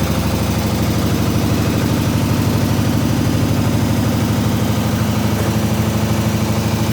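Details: 1967 IH Loadstar 1600 shop truck V8 running again during overhaul, out of gear, new clutch still needing adjustment; even steady low rumble about three pulses per second, smooth idle, needs fine adjustments.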